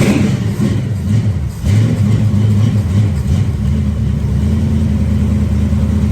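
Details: 1973 Dodge Dart Swinger with engine and new transmission reinstalled, timing set slightly too far advanced so it cranked hard, running through open headers. A quick sharp blip drops back crisply to a steady, even, loud idle: normal revving and idle.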